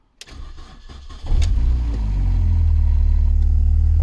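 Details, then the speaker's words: Classic Mini bought cheap without a key, first start on a battery pack after being towed in, cold but not freezing day: brief cranking, catches in about a second, settles into steady even idle; normal cold start. "starts got bit of coot tank sounds right so that's it running"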